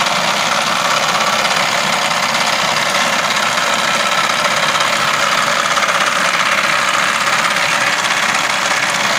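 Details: Idling with the air conditioning engaged: a light, busy clatter rides on top of a steady idle, a clattering noise that appears when the aircon is turned on, source not pinned down.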